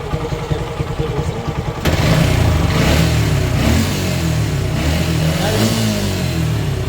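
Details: Motorcycle after carburetor float pin replacement, battery low: brisk even putter at idle, then clean rev rises and falls with no misfire or stumble; the engine runs healthy.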